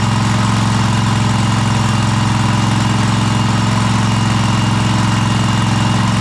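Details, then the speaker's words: Cub Cadet Super LT1554 with a 27hp Kohler V-twin, 500+ hours, just reassembled after head gasket replacement, smoking as oil burns off: steady low drone with no rise in pitch at full throttle; not revving up fully, adjustment suspected. "It is not throttling up all the way. That's full throttle. So, that's a little funny."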